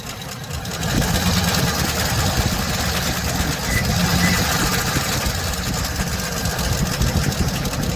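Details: 2007 Chevy Express 3500 van V8 at idle, before treatment and still on old oil: a fast, light ticking rides over a steady idle and keeps time with the engine. No smoke; the owner had hoped it was a pulley. Sticky lifter tick, later cured by flush and oil changes.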